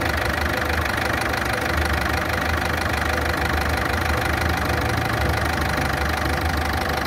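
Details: Ford Fiesta at idle, engine running loud and rough with a quick, fairly steady tick about three per second; cause not pinned down.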